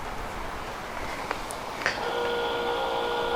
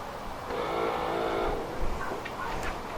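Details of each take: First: Volvo 480 rear wiper motor fed constant 12 volts via temporary wire to red cable: clicks then steady even whir running its full sweep; motor normal, fault lies in boot wiring loom. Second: Volvo 480 rear wiper motor whirs only while CEM relay is engaged then cuts out without full sweep or return to park; faulty boot wiring harness from boot lid movement.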